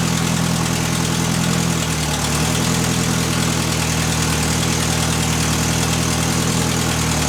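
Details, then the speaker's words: Built Mitsubishi Evo X SST with a PT 6466 turbo, idling on a temporary pipe after sitting a very long time: rough idle with a buzzy, farty rasp. Owner suspects an exhaust leak on the downpipe. Exhaust rattle at idle. "as you can hear there's definitely an exhaust leak on the downpipe or something it's like a farty sound"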